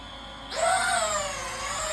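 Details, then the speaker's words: M Mini drone on the ground, motors started by pushing the left stick up: quiet at first, then a high smooth whine that climbs and settles, a healthy spin-up for takeoff. "หลังจากนั้นเนาะยูเบื้องซ้ายนี่ขึ้นมอเตอร์มันจะสตาร์ทแล้วก็ค่อยยูเบื้องซ้ายนี่ขึ้นเลย"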